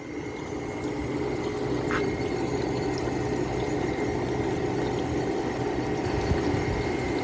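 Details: Low-end Fedders window air conditioner: steady hum builds with a faint watery trickle, possibly water trapped near the fan motor, as the compressor starts smoothly and head pressure builds; normal start-up.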